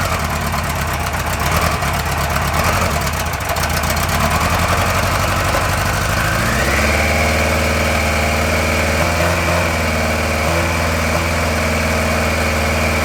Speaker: elle a démarré très bien mais la sonorité toujours un petit peu bizarre et ces bruits un peu de ronronement curieux ce que j'ai fait du coup c'est que bah j'ai mis ma main sur les collecteurs d'échappement et j'ai vu tout de suite que le cylindre numéro 1 il était froid